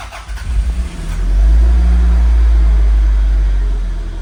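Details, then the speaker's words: 1990 Toyota MR2 that had sat for a long time, first start after checking the fuel pump prime: short crank, then it catches and holds a steady low rumble that smooths out. It runs and charges; the rev counter is not working. "It's got no rev counter, but it runs."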